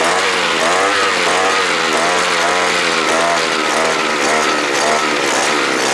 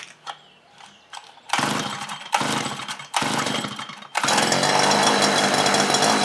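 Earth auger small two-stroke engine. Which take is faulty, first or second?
second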